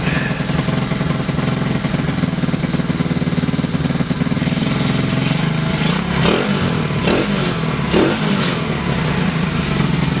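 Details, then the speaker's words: 2016 TAO pit bike, single, after a part was cleaned with brake cleaner and refitted: revs freely with crisp throttle blips over steady running, settling cleanly; normal running and revving. "Well, we brake cleaned the hell out of it, and we're putting it back together, and we're going to throw it back on the bike, and it's going to run like a top."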